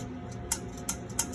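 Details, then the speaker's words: Advance Adgressor X3220C, failed left-hand brush motor, burning smell before failure, belt and tensioner off, motor turned by hand: dry click every third of a second over a faint rub; suspected carbon brush failure or object wedged in the commutator. "so we have an issue with possibly carbon brushes carbon brush failure something is possibly wedged into the commutator"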